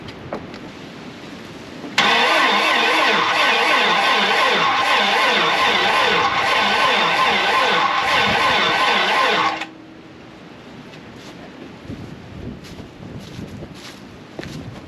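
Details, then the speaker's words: 1987 GMC Jimmy (K5 Blazer) bought as project, fuel system being primed: about seven seconds of slow, laboured cranking, engine never catches; slow cranking, no start, cause unknown. "it's turning over slow again let's put this uh battery charger and the jump box on and let's just Prime this a little more"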